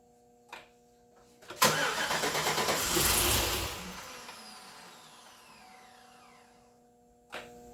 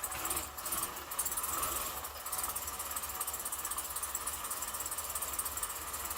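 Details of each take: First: 2008 Chevrolet Suburban new engine, stock throttle body, early start attempts: cranking catches with sharp pop, ragged uneven chuffs spitting back through throttle body, then dies; ignition wiring order questioned; backfire through throttle body. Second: 2008 Suburban, first start-up of new engine after 5 or 6 tries: quiet, even idle with light steady patter and some hiss behind; freshly started engine running smoothly.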